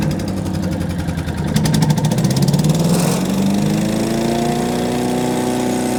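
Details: Small engine on a wood chipper after its tank was bolted on tight: picks up from rough start to steady, climbing run with no loud tank rattle standing out.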